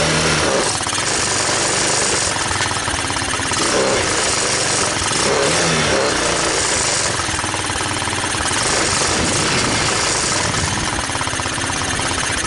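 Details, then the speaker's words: TaoTao ATA200D ATV, single-cylinder, restarted with clutch in: loud, uneven popping with ragged wavering rhythm, struggling to stay running; it runs and moves but stalls, owner suspects intake manifold leak. "So it seems to run, and it seems to move, and it seems to stall. What my thoughts are is it might possibly have an intake manifold leak here."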